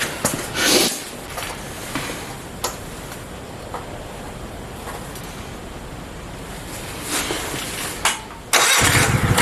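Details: Mini bike V-twin; even, steady idle at a sensible speed, no misses or knocks; normal healthy idle before first ride.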